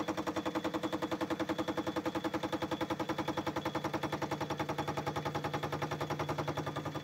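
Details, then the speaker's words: Lathe parting off the eccentric casting for a Stuart S50 mill engine model, taken slower than usual: a steady, rapid clunk about 3.5 times a second as the tool meets the casting. Normal interrupted cut. "I'll take it a little bit slower than normal with this, because tools don't tend to like what we call an interrupted cut, so the clunk clunk clunk clunk clunk noise that you can hear. Obviously that's the casting bit, so just take it steady into those."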